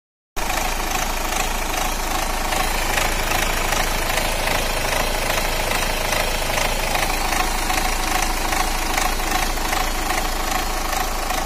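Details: Renault Duster petrol engine idling with a slightly uneven beat, faint stumble about twice a second from a misfire, check engine light on.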